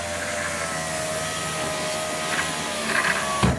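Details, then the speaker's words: 2005 Chrysler Town & Country front driver's door after replacing the window regulator and motor (was noisy going down, slow going up): smooth, steady motor hum about three seconds, no grinding or clicking, soft stop; much quieter, door panel still off. "much quieter and that's going to quiet down a lot once you get this door panel on so I think we've got it"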